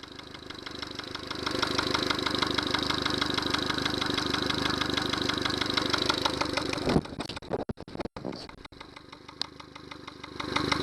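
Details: Yamaha 70 hp outboard running with a Honda fuel connector instead of a Yamaha one: even knock about three per second at idle, then it stumbles and cuts out; fuel starvation from the wrong fuel connector.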